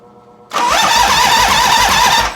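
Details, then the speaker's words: 1985 Harley FXRS Evo with a new All Balls starter, battery not recharged. A brisk, even starter whir cranks much faster than before, with no dragging or clicking: normal cranking. "Holy, that cranks over way faster. Way faster cranking over."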